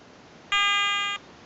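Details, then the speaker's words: Garrett ATX pulse induction metal detector finishing its frequency scan: one clean high beep of about two-thirds of a second. "okay she's getting nearly finished with the frequency scan it's going to find a nice qu frequency operate on okay three beeps and she's found a nice quiet frequency"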